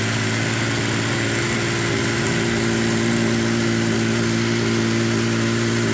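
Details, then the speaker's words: Yamaha triple swapped into a UTV after the old engine blew (suspected water pump, connecting rods), first start; owner thinks it resembles the YXZ engine. It catches and settles into a smooth, steady hum, no knocks, misses or surging. Normal idle. "h hell yeah sounds good doesn't it sounds good"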